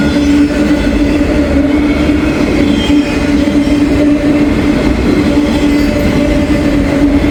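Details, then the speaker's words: Passing freight train with a loaded articulated auto rack: loud rolling rumble with a steady whining tone riding over it; trackside observer suspects a bad bearing. "yeah bad bearing on that one could hear that"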